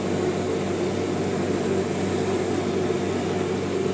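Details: Clothes dryer that had jammed and only hummed without turning, after full disassembly, clearing and reassembly: steady even hum from motor and drum with no scraping, thumping or squeal; normal running.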